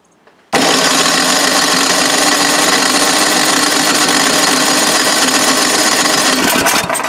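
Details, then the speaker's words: Old Craftsman snowblower, old fuel with dry gas, full choke, one primer squirt: steady starter churning about four beats a second for six seconds, never fires; spark plug found black and sooty, carburetor later blamed. "well this might be the problem so here's the spark plug and it is black black black but I have seen worse so maybe it still can run but not very well"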